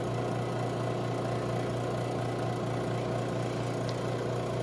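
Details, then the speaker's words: Robinair 134Z recovery machine suspected of a bad compressor, running after output valve opened and unit switched on, pulling vapor at about 20 psi: steady even low hum with a constant fine pulse, no knocks or rattles; normal operation. "And we're at about 20 psi here. Now, looks like this may take a little while."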